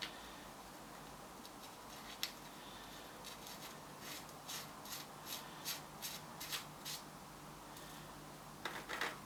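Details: Old-school GT mountain bike bearing, rusty, spun by hand during restoration: dry, gritty rasp in uneven pulses about two or three a second, feels graunchy; corroded, worn bearing with a ton of play on the outer race.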